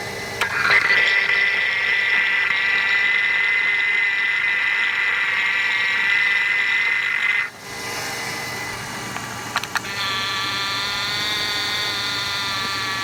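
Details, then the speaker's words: 1993 Chevy Lumina APV at idle, before replacing the belt tensioner pulley and belt: steady, high, thin whine of constant pitch from the belt-driven accessories. Owner thinks the power steering pump, possibly also the tensioner pulley; not confirmed. "As you can hear, there is a little bit of whining going on, and I just think that's my power steering pump."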